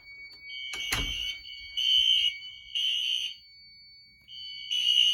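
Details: Home fire alarm test with an SK2 panel (broken resistor, no batteries). After the Firelight BG12 pull station, a sharp clack, then a high horn blasting in roughly half-second bursts with short gaps. The alarm sounds properly.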